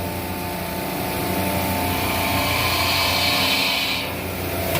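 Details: Refrigeration rack serving a walk-in freezer, heavy frost and no superheat, after opening suction valve: compressor drone swelling louder as amp draw rises and fans speed up; liquid flooding back, suspected check valve not holding.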